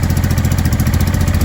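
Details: Honda Deauville NT650V5 V-twin just started after new carburetor insulator rubbers were fitted: quick, even thrumming with no misses, idling very fast on a lot of choke after long cranking.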